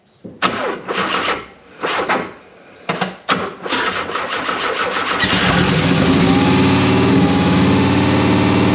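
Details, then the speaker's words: Subaru-swapped 1973 VW Super Beetle, idle air control valve not yet programmed so engine is only throttle-modulated; test start to check the injector gives several cranking bursts and stumbles, then runs held on throttle with no settled idle. "all right we're probably still not gonna be able to get to idle but we'll do one startup just to hear how it sounds and make sure the injector is working right"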